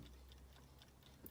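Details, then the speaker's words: Seth Thomas Baby Ben style 5 wind-up alarm clock, Catalin case, Westclox movement: faint light ticks at steady beat in quiet room; movement running normally. "So the clock, I don't know if you've been able to hear it or not. It is ticking."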